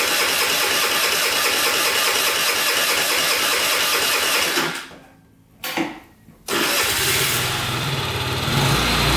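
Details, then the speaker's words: Scrap-pile moped with a new battery, after it would not start with the kickstand down: buzzy little engine runs steadily, dips out for a second, catches and settles into an even idle; runs good. "I had the kickstand down. That's why I wasn't starting right away. But, uh, yeah, runs good."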